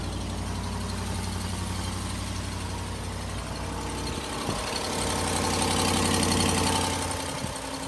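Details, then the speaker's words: 2019 Ram 1500 Hemi V8, high mileage, cold idle: fast, even ticking keeping pace with the engine. Cracked exhaust manifold leak that goes quiet once the cast manifold warms and expands. "so that's definitely not normal and uh the the tricky thing about this exact exhaust manifold crack problem is that when it warms up that that cast material it expands again and that crack fills and it gets quiet"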